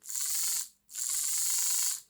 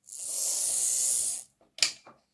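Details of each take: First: Lima Class 55 Deltic model locomotive after refitting the gears and oiling the axles: two short bursts of shrill high squeal with gritty buzzing as the motor spins, attributed to a worn drive gear grinding. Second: Lima Class 55 Deltic model locomotive after a suspect gear, louder in reverse, was cleaned up and filed, run on battery: short runs of even, smooth hiss with no gear knocking; running cleanly after repair.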